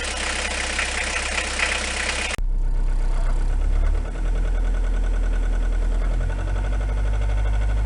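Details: Renault 21 turbo diesel, 180,457 km: rough running with rapid regular clatter about three per second, knocking on acceleration for 2 years, heard in cabin; rockers adjusted, owner says not rod or bearing; cause unknown.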